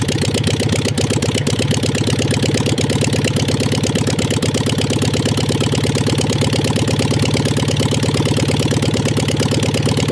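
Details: 1958 VW Beetle ragtop air-cooled flat-four, probably not the original motor but said to be a 36 hp, sitting since 1983. A steady, even-pulsed idle with a low thrum and no obvious knock; it runs again after decades of storage.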